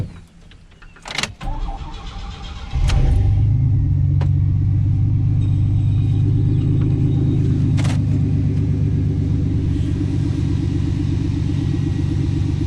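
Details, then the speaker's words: 1991 GMC OBS short-bed truck with cheap Flowmaster-style muffler cut in behind the Y-pipe: starter catches near three seconds, then a steady, quiet, even idle with no knocks or misses; it smokes at start-up (valve seals per the owner), otherwise sounds healthy. "I mean it don't sound bad it's pretty quiet actually"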